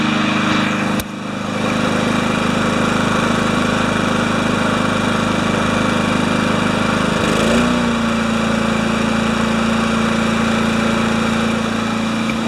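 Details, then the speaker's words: Craftsman mower with a Kohler engine, started after work on it: a steady, even engine note that holds speed with no misses, knocks or surging. Normal running. "How fast it's running. Good."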